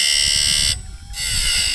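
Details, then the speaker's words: Wood-Mizer automatic bandsaw blade sharpener, new blade: steady high grinding whine cuts out and returns; stone hitting and missing due to its worn shape, needs dressing. "but you can hear it hitting and missing, and part of that's due to the shape of this grinding stone, and I'll get into that here in just a minute."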